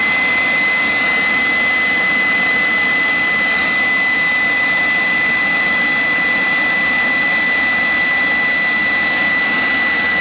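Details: Jet turbine truck, first start-up after winter, after cleaning a dirt-clogged fuel filter and adjusting the fuel pump: smooth even turbine scream with steady high whistle, no surging or popping; normal stable running.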